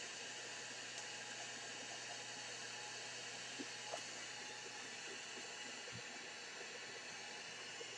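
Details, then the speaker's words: Sony ICF-2001 radio on FM with no antenna, suspected faulty switching transistors: constant loud hiss with no station that can't be turned down completely with the volume control. "Well, before I do that, I can't stand that hiss. Can't stand that hiss."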